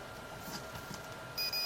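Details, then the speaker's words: Multimeter continuity test of the plug fuse on a 1980s industrial hand blender: steady high beep after handling noise; continuity present, fuse good and plug wired correctly. "yeah so the fuse is okay the plug's wired all right"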